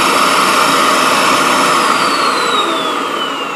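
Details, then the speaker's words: Vacuum pump for RC vacuum forming, switched on right after heating elements are removed; loud, steady jet-like roar with a high whistle slowly falling as it pulls down, and the forming appeared to work. Normal running, just noisy. "that thing sounds like a goddamn Jet Plane taken off looks like it worked though we'll let it cool for a second"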